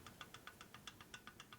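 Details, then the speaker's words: 1978 Harley FL 93ci stroker big-bore Shovelhead during rebuild: crisp light metallic clicks, about seven a second, as cam gear is rocked by hand against pinion gear; excessive cam-to-pinion backlash, expected to make noise when running. "We have in play. That's backlash. That's bad. That'll make noise."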